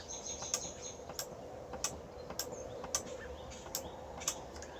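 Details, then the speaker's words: Kenmore 110.20022013 top-load washer (Whirlpool-built), lid lock solenoid board repair, in test mode: a fill valve solenoid clicks sharply on and off about every half second, working normally. "can hear it clicking on and off this is the other fill valve so good everything's working"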